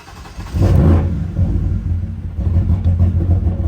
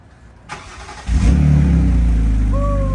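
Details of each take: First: 2006 BMW 325i bought as no-start, crank sensor acting up (later found unplugged), manual, no muffler: engine catches and revs hard with loud raw exhaust roar, uneven and rough on start; crank sensor fault. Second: 2006 BMW 325i, bought as a no-start, first start after replacing the crank sensor, which had been found unplugged; brief starter churn, catches cleanly, a light rev, then a smooth, steady, civilized idle with no surging, normal start.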